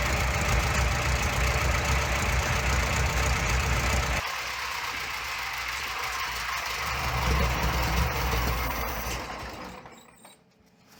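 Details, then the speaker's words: Junkyard Minneapolis Moline ZAU tractor, old plug wires, untuned carburetor, unknown timing, blue smoke: deep even rumble with steady firing, dropping to lower speed then shutting off; fairly smooth with slight pop and miss. "It's running pretty good. Running quite nice. Yeah, I'd say so."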